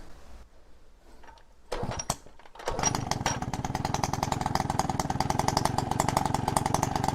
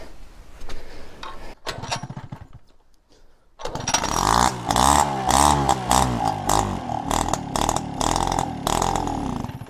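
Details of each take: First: Peugeot 103 RCX moped two-stroke, first start after rebuild, choke pulled manually by cable, carb needle had been stuck: fires after a few pulls, then a fast, even buzz holds steady on choke; running fine. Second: Peugeot 103 RCX two-stroke moped during first start of a build; stuck carburetor needle, choke pulled manually by cable; with choke off it sputters and dies, then restarts with an uneven buzz, revs surging and dipping, faltering without choke.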